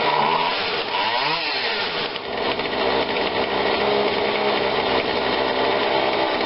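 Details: Husqvarna 142 40cc two-stroke chainsaw, long unused, after repair and tune-up, bar oil refilled, cover off: buzzes at steady high pitch, revs cleanly and holds without stumbling; normal running.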